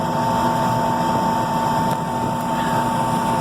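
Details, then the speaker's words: Rooftop HVAC unit with a mystery noise, heating inducer running with the blower on circulate, outdoors in gusting wind: steady, even motor hum with a constant mid tone, no knocks or rubbing; inducer operating normally. "inducer sounds good don't hear anything abnormal"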